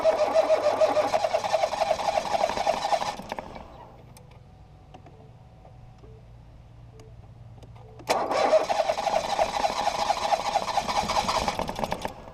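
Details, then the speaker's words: 2018 Ford Focus SE parts car with suspected water in a cylinder, plugs reinstalled after blowing out fuel-smelling fluid; two bursts of steady, fast cranking that never catch; owner suspects a drained battery; engine-fault service message shown. "oh it's trying but oh it's not trying anymore maybe I killed the battery too much"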